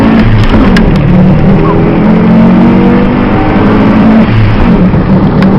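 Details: Audi S4, recorded inside the car: engine churns on and on with a low, uneven drone before properly catching; hard starting with long crank, cause not evident.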